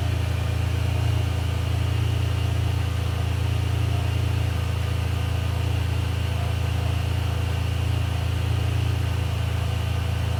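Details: Ferrari 456 GTA V12 after major service, idling with climate control off and cooling fans running, confirming the earlier fan complaint is fixed; deep, perfectly even hum with steady fan whoosh, no misses or knocks; check engine light still on; normal idle.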